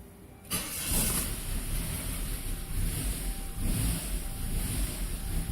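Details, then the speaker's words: 2000 Saab 9-3 SE turbo after a loud pop under the hood, with codes P1300 and P0301 and an erratic boost gauge. Rough, surging, wavering idle; the intercooler exit hose had popped off, leaking boost. "Going to be running like shit. The engine is surging. And nasty smell. It's not running right at all."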